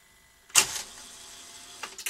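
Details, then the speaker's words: Skantic VCR-LP (Philips N1700 clone) video recorder under repair, after it snatched tape from a cold head drum: sharp mechanical clack and brief whir, pause, couple of clicks as mechanism unloads and shuts down on its own; cause unconfirmed, heads possibly contaminated. "I didn't ask you to shut down it shut down on its own"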